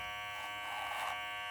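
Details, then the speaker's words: Babyliss 870 clipper, about five months old, after zero-gapping, realigning the blade and oiling: even, steady high buzz with no rattle or clatter; earlier loud noise caused by misaligned blade, now running smoothly. "That sounds so much better. Yeah. So that's what causes the noise."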